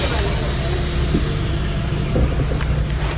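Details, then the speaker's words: Toyota Avanza EFI engine restarted after scan-tool ISC stepper test stall and key cycle: low steady idle rumble with no knocks, misses or hunting; idling normally again. "Lalu kita hidupkan engine kembali. Dan engine kembali normal seperti sedia kala."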